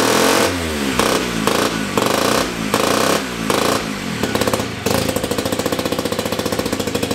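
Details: 1975 KC27 294cc rotary from a Hercules W2000, rebuilt, kick-started with transmission fitted: buzzy bursts as it is blipped, then a fast even raspy pulse that holds steady; runs good.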